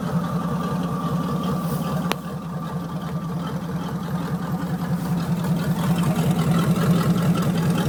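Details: 1979 Chevy 350 V8, first cold start after years unstarted in winter, temperature still cold: a steady, even low burble at idle with a level pulse rate and no knocks or misses; normal idle.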